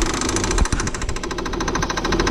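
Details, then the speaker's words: 2000 Saturn L300, 3.0 L V6, after timing belt job: rapid even knocking about twelve times a second over the running engine; wobbling power steering pump pulley, pump needs replacing. "but you're loading the pump the power steering pump it's definitely that pulley it's wobbling power steering pump"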